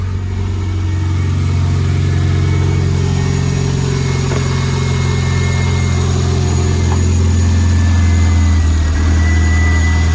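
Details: Renault Clio turbo track car, first start after fresh oil and filter with turbo primed: steady, even four-cylinder idle with smooth low drone and a brief light rev blip, braking fault light still on; runs fine.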